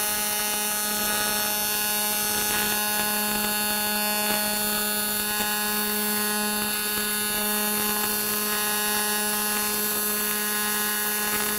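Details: TIG welding scrap aluminum plate in AC; steady even buzz, fixed low pitch with bright hiss, from switching between positive and negative AC sides; normal AC TIG arc.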